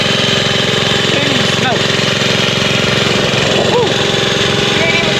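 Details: Vintage Sears Roper mini bike, Tecumseh single-cylinder flathead, carburetor untuned, riding about 10 mph in rain and wind: putters evenly with steady beat, no misses, no smoke; healthy running.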